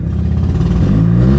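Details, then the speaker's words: Mazda RX-8 with exhaust disconnected after catalytic converter glowed red: engine revving from low speed stumbles and sputters unevenly; misfire, checked with timing light showing no firing when running badly. "so you can hear firing right now come on see this see that it runs good and then when it's running like crap it's not firing"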